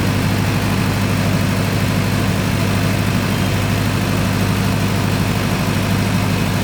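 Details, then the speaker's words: Newly commissioned 50 kW canopy-type generator running with the ATS complete and carrying a lift load during a lift test: steady even diesel drone, smooth low rhythm, no knocks or misses; runs cleanly. "এটা হচ্ছে আমার generator, এখন generator চলতেছে, ওকে লিফটের load আছে, lift test করতেছি, one test."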